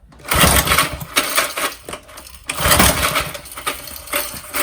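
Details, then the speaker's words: Old McLane lawn edger with Briggs & Stratton engine, fueled and choked: uneven pull-cord cranking bursts with coughs but it never catches; won't start, governor linkage looks wrong, cause not confirmed. "Yeah, nothing really. Okay, not unexpected."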